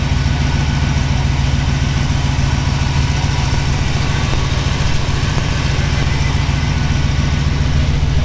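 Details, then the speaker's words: 1969 Jeepster Commando 4x4 resto-mod with 350 V8 and 400 automatic, low hours on break-in oil, cold start just off the trailer: deep, steady V8 burble with even lopey beat, no knocks or ticks; normal cold idle. "Very nice. Still cold. Pulled it out of the trailer."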